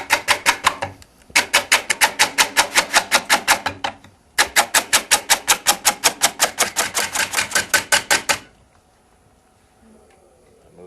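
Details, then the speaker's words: Woodturning lathe, light cuts of about 1/8 inch on dry, exposed top wood, sound differing from earlier cuts: rapid sharp ticks, about three a second, in two bursts then quiet; interrupted cut on dry wood. "I'm only taking maybe 1/8 of an inch, because this wood is on the top, which was exposed, and it has become dry. You can probably hear the difference in sound too. So I have to be a little more careful."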